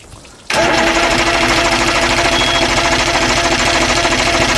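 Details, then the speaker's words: 2000 Johnson 90hp outboard, first start of the year after spark plug and fuel filter service, cold, in neutral with water on, manual choke up: steady rapid cranking about three beats a second that never catches into a clean run; some smoke. "All right, it's the first time for the year, so we'll go over to the manual choke inside of here and just put that up and have them crank it."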